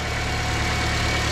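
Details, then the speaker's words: Car with a new alternator, idling with the battery disconnected at about 15 V, idle slightly quicker. Smooth, even low rumble with no knocks, misses or whine: the alternator works properly. "that's why the cars are running a little quicker too but anyway s doing that job like supposed to be"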